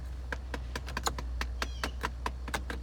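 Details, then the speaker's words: 2008 Dodge Avenger (no-start vehicle): rapid, uneven clicking from behind dash over low hum during HVAC control check; blend door actuator suspected going bad, not confirmed; controls otherwise work. "like has a blend or issue if you guys would hear that clicking in there it sounds like there's a blend or going bad"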